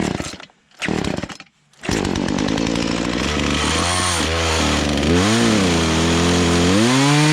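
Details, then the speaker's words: Poulan Pro two-stroke chainsaw that sat for three years, carburetor just adjusted with an adjustment tool kit, cutting a log: high scream dipping and recovering without stalling, running strong under load, though the chain probably needs sharpening. "i probably need to sharpen the teeth up but i got it where it's not stalling out as you're cutting through"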